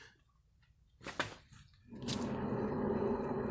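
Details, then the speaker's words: 2008 Ford Ka 1.0, wheel spun by hand: a strong, steady, rough growling rumble from worn wheel bearings, with both wheels noisy. "Ali tá bem forte o barulho. E na outra roda também. As duas rodas fazem bastante barulho de rolamento."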